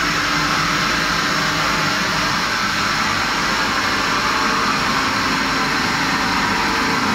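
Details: Kaeser ASK 35 screw compressor, built 2013, fully serviced, 3,000 hours, up to 11 bar into a 1,000-litre receiver: steady even rushing hum, constant tone, no knocks, rattles or surging; running healthy.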